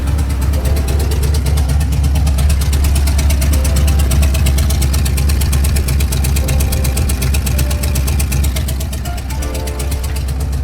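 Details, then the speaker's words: 4.6 liter Ford V8 previously knocking, rebuilt with used junkyard crank and bearings and reused torque-to-yield bolts, long tube headers, no radiator: loud steady idle, deep exhaust rumble, no knocking or ticking. "the motor is definitely not knocking it's not making a ticking noise it's not doing anything"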